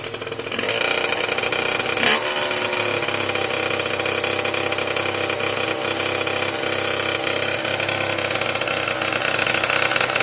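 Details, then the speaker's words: Booster two-stroke scooter, newly built with all new parts, first start: loud, raspy buzz with an uneven, hunting idle; carburettor found cracked at the rear, letting in air. "C'est un problème de carburateur. Le carbu est fissuré à l'arrière."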